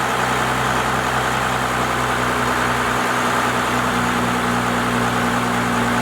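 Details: First-gen Cummins diesel truck with 4-inch straight pipe, after advancing the timing and raising the idle: deep, steady open-exhaust idle with even beat, no misses or hunting; normal idle.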